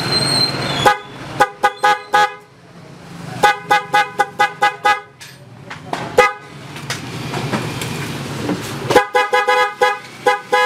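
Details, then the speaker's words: Motorcycle PIAA horn, DIY-installed, very weak even though the horn is original: short thin toots whose high and low tones separate instead of blending. The installer's wiring is suspected; the horn is to be removed to check. "So yun nga yung tunog ng busina ni boss. Medyo naghihiwalay yung high and low niya, pero hindi ko alam kung mapipick up ng ating mic."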